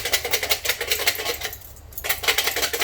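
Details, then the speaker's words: Supercharged 2019 Mustang with burble (decel pop) tune: removed resonator shaken by hand gives hollow metallic clatter four or five times a second; internal baffles destroyed by the pops and loose. Loose resonator baffles. "so whatever baffle system whatever is inside that guy the d-cell popping pretty much destroyed it"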